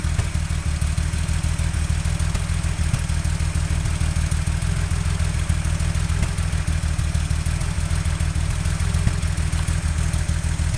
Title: 911 misfire